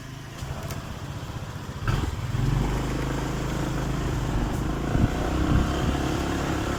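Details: Honda PCX 150 keyless scooter on test run after the faulty 5-pin charging/starter relay was replaced. It had arrived dead and would not start. It fires up and settles into a steady, even low idle with no misfires: starting and charging now work normally.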